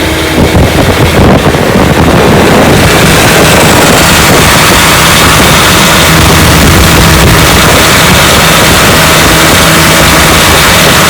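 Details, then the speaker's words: Restored 1955 Johnson Seahorse 10 hp outboard (rebuilt ignition, carburetor, lower case) on lake test pushing a 14 ft john boat about 18 mph: steady even high-revving two-stroke buzz at full throttle, no misses; normal wide-open running. "she's a good one he pushes my john boat my 14 foot john boat here about 18 miles an hour which is awesome for 10 horsepower"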